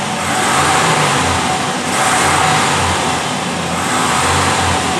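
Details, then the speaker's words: Vehicle after coolant-in-exhaust repair, revving in park: climbs and drops smoothly with no misses; normal here, but in gear with brake held it falls flat (limp mode). "Now it's a little hard to hear in the video, but the engine's running fine and idle. We're in park, and I can accelerate."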